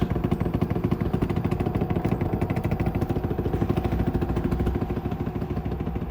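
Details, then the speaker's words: Samsung WD90K5B10OX 9 kg washer dryer, six-seven years old, spinning: rapid steady thumping about three times a second as the drum strikes something; owner suspects a loose ballast counterweight, bearings possibly worn. "it's hitting off something down there do it have a loose ballast maybe I can check that"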